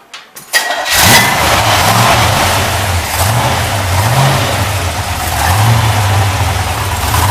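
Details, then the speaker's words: Newly restored, broken-in 409 HP dual-quad 409 V8 from a 1962 Chevrolet Impala SS with solid lifter cam: cranks and catches at once, settles to an even lumpy idle with a light rev and faint clickety-clack valve clatter; runs healthy. "And when I start it, you'll hear a little clickety-clack. That's because it's a solid lifter camshaft."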